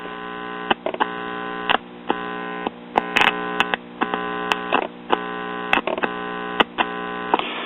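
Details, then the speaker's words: One-tube Bel-Aire/Airline three-speed record player, about 1953-54: buzzy hum cuts in and out abruptly as the intermittent tube socket loses contact; works only when the 25L6 output tube, itself shorting, is held in position; volume pot also bad. "it also looks like the tube socket is intermittent too i hold the tube in that position and the amp works let it go and we have"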